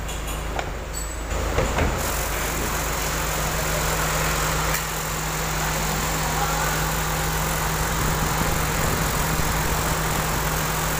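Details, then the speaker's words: Chevrolet Aveo engine idling with AC switched on: rough, steady growl and low hum from the worn original AC compressor, AC still cold; fix is custom-mounting a replacement compressor on the Aveo bracket. "Coba nanti kita ke depan seperti ini suara bunyi ngoroknya ketika dinyalakan AC"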